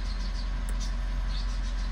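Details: Mitsubishi Montero Sport 4N15 diesel at 50K mileage, idling after EGR, intake and throttle body cleaning, no trouble codes on scan. A low, smooth diesel hum holds a steady idle with no surging, rattles or misses, a normal idle.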